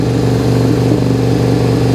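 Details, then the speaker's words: 2001 Suzuki SV650S V-twin running on only the front cylinder: uneven, lumpy idle as the other cylinder barely fires; carburetor pulling fuel past the needle, overfueling and drowning that cylinder, carbs to be removed. "holy smokes it's it's overfueling it's drowning that cylinder out"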